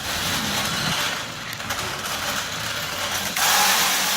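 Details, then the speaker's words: Tyco Turbo Outlaw #9 RC car, 49 MHz, original electronics: harsh, uneven gritty crunching over the little motor, louder near the end; transmission gears are chewed up, left unrepaired for lack of correct replacement gears. "So it's just gonna have to stay crunchy like that. But I want to do a video anyway, just to show you, just to show how bad the transmission on it is."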